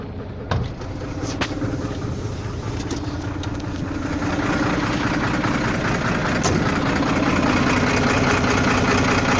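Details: Volvo FL6 diesel idling with a loose, uneven, floating knock, about two or three a second, that comes and goes; source not identified.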